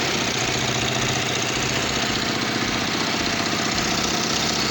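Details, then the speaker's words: Kawasaki Vulcan 500 twin idling before carburetor synchronization, after intake rubbers were checked for air leaks: an uneven, lumpy beat with a hissy top end. The vacuum gauges show the two carburetors totally out of sync. "Vale pues están totalmente descompensados a ver si os lo enseño"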